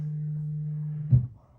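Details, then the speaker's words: Audio-Technica AT-LP120XUSB turntable connected to a Dell computer: steady low hum around 150 Hz, worse when idle, then a thump as it's set down; suspected computer-side issue, owner plans to bypass the preamp. "So I'm not sure why we're getting this hum. I just don't know."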